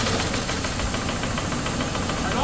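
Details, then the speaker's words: 1978 Cadillac DeVille sat 15+ years, after reassembly: fast, rough ticking knock over a hissy idle in time with the engine; the knock is blamed on a stuck valve. "well we just got her all back together unfortunately our Infamous knock is back that valve is stuck"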